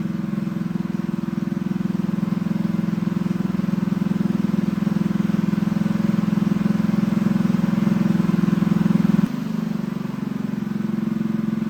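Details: Newly assembled Honda GX200 clone engine on a bench stand, choke on: revs ragged and hunting, then sags to a lower note near the end; lean running, needs jetting, jet to be increased one size at a time.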